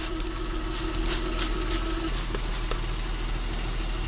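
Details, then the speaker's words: 2009 Lincoln MKS at idle after sealing a large rust hole in the exhaust with high-heat epoxy putty; even, low steady idle, no puffing or ticking, a few light soapy-water spray hisses; leak fixed. "as you can see there are no bubbles no air and it's quiet that's because we sealed that giant hole that was a large rust hole"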